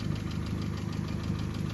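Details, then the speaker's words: Vauxhall Astra H 1.4 SXi petrol, 79k miles, cold engine idling after timing chain replacement: steady low hum with even firing and no chain rattle; only an exhaust blow remains. "it's gone very quiet now no rattling"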